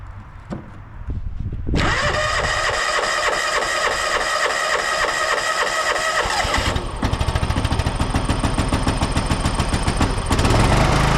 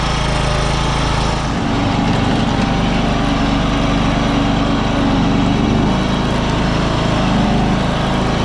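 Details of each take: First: 1993 John Deere LX172 lawn tractor, 14hp Kawasaki FC420V engine, started on a jump pack at initial test run: quick rhythmic cranking for a few seconds, then the engine catches and settles into a steady, even run. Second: 1993 John Deere LX172 lawn tractor, 14hp Kawasaki FC420V, first run on a jump pack after trade-in: engine at full throttle with a slight rise and fall in speed; surging at full throttle, noisy idler also heard.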